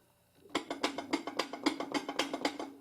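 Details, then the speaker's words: Old rear axle out of a 1966 Pontiac Tempest, turned by hand: about seven sharp metallic clunks over two seconds, pinion slap from a rear end thought to be a little worn. "But yeah, she's a little toasty. She's a little toasty."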